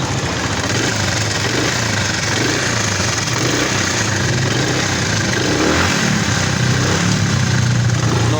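Steady motorcycle idle with a short rev near the end, even firing, no knock or rattle heard; engine runs smooth and quiet.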